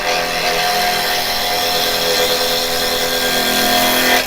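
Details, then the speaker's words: Carbide chisel (Type 3 set) turning a 6-inch plum piece on an Axminster 1628 lathe, handles down and cutting above centre: smooth steady whir with a constant cutting hiss and no grabs or knocks; a clean cut without catches. "this way you get no catches, no grabbing. Get a nice finish."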